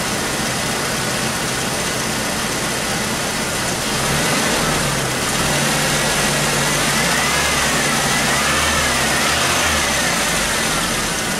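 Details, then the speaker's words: 1996 Chevy S10 2.2 L, over 260,000 miles, misfire persisting after injector circuit check: idle with a steady uneven lope and recurring skip under heavy hiss, popping audible; one cylinder dead, likely from a broken spark plug wire. "sedition I can hear the popping in food it's like a simple maybe I'm gonna put the food all the way down it's a spot right here popping"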